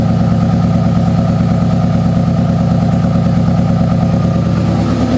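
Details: 2009 Subaru WRX converted from EJ255 to EJ205, warm engine smelling of raw gas, plugs and injectors changed, good compression: an uneven lumpy idle with about three stumbles a second that smooths when revved. Ignition misfire from crossed coil pack wiring.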